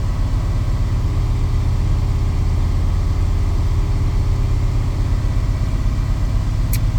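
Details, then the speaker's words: Chevy square-body crew-cab dually with 454 V8, just after O2 sensor replacement, still running a bit rich, cold: steady fast idle staying up with no dip or hunting, the high cold idle it always had. "It always did that idling up thing when it was cold."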